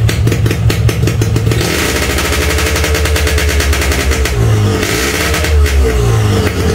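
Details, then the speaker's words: Cold-start on choke of a stock Yamaha RX-King two-stroke, hard to start when cold: engine pops and crackles rapidly, revving up and settling unevenly; normal cold running on choke while engine not yet at optimal temperature, not a real fault. "Nah kalau kayak gini disebutnya masalah bukan bukan ini bukan bukan suatu masalah berat ya temen-temen"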